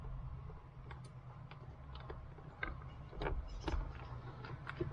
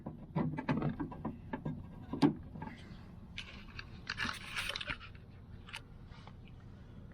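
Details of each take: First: Early-model BMW E30 power window: the motor clicks sharply over a low hum but won't turn. Swapping the switch changed nothing, so the motor is the likely fault, suspected gummed up and unable to spin. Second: BMW E30 passenger window motor, never worked before, after disassembly and regreasing the worm gears: four smooth even motor runs with short pauses, window travelling both ways without binding; motor working normally.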